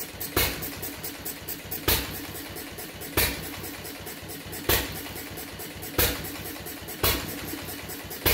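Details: Fuller and Johnson hit-and-miss engine on first run after cleanup, battery and 6-volt coil box, started with a little choke: slow uneven firing bangs about every 1.5 seconds with coasting between; owner suspects running rich, plans checking mixer and RPM.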